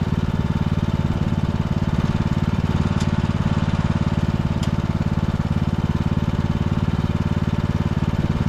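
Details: 2014 Ariens (Husqvarna) 42-inch riding mower after repairs that included freeing an ignition coil rubbing the flywheel and restoring the brakes: the single cylinder thumps at a steady, even beat with no surging or missing. Normal running.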